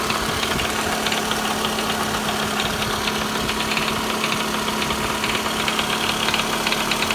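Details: 2009 Toyota Vellfire 24Z (ANH25W, 2AZ-FE), 142,078 km: light, rapid, even knocking over a steady idle; unchanged after timing chain replacement, oil pump fine, gone with balance shaft removed, so balance shaft appears to be the cause.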